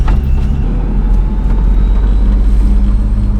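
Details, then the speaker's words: Boosted BMW E36 on first drive in a parking lot: deep uneven drone surging as the engine stumbles and picks back up, power cutting in and out; far too rich, owner suspects injectors larger than the stated 42 lb. "all right oh boy it's way too much feel on this thing"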